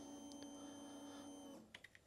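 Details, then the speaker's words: 2013 Kawasaki KX250F fuel injected, diagnostics harness connected to battery: steady quiet electric hum about a second and a half then light clicks; fuel pump priming normally. "Gives me a positive and negative lead to go to a battery. When you connect this, you'll hear the fuel pump"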